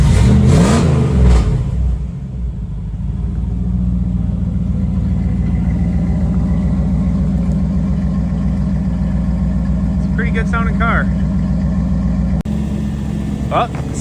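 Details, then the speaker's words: 1985 Pontiac Trans Am V8, cold day, not yet at operating temperature: quick throttle blips then loud, even, lumpy idle with no knocks or misses; normal healthy engine revving. "Yeah, it's not a bad sounding car. It's a little on the loud side. Give it a couple reps here."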